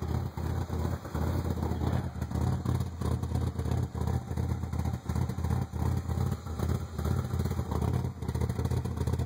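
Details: 1995 Ford Probe GT with a rough idle: a low, lumpy beat with about three dips a second. Ran smoothly last year, then ran really rough after emissions repairs, new exhaust manifolds and a new rear exhaust half. Plugs replaced, original wires. Cause unknown.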